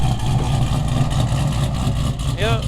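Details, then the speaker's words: 1947 Cadillac Series 62 with 350 CI flathead V8 after a cold start, microphone tilted toward it: low, smooth, even idle rumble with no knocks or misses. "still sounding as good as ever let me tilt the microphone into that for you"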